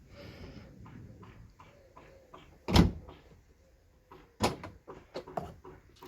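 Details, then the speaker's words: Ford Fusion tailgate after lubricating the hinges behind the trim panel: opens and shuts with a solid thud and light latch clicks, bump stops working, no creak or squeak from the hinges. "просто кайф тихо-тихо все гарно отбойнички спрацьовують"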